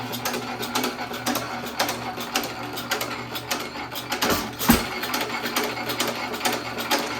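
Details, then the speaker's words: 1917 Economy hit-and-miss engine after piston and rod swap, mixture being leaned for less smoke: light uneven clicking with occasional firing thumps, about two a second, intake double sucking means mixture leaned too far; lean mixture. "When you hear it double sucking, that means it's leaned out too far."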